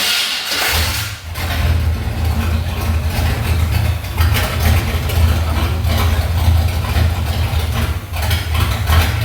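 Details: 1979 Chevy C10 after an engine swap, V8 first start, run briefly for a few minutes, not yet full of fluid: fires up and settles into a steady, deep, even idle with a couple of light blips. Sounds healthy; temperature gauge read very hot, wiring possibly crossed.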